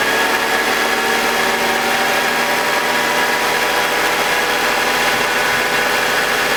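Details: BMW E46 with M52TUB25 engine at idle, exhaust VANOS disconnected: steady smooth hum, no grinding, no RPM dips. Owner suspects the VANOS causes a grinding noise, worse at startup, heard when connected. Normal idle.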